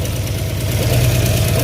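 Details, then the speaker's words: 1970 Dodge Charger 318 V8 freshly rebuilt, start-up after fixing mis-sized bearings, Flowmaster exhaust: steady deep idle with a faint light top-end tick; owner attributes it to the 530 not yet pumping up through fast, though oil is reaching the top. "so yeah engine runs it's got a little ticking and all that's mainly because that 530 ain't really just pumping up through the thing too fast but there is oil getting up to the top of the engine though now as you can hear"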